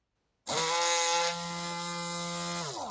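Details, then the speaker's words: Rotary tool under repair, motor wired to a different connection: strong, steady high-pitched whir holding pitch evenly from spin-up to shutoff, much more powerful and higher pitched than the earlier half-dead connection, running at full power. "sounds like it's going strong."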